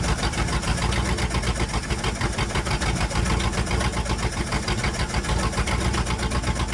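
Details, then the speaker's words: 1962 Dodge 100 truck, first start in 25 years: steady sharp ticking over the exhaust beat from one side; owner suspects rocker arm or pushrod off, no rod knock, little smoke or blow-by; later found stuck lifter. "Like we may have a rocker arm off or a push rod or something. We can pull valve covers later and check it out, but I don't hear any rods knocking or anything."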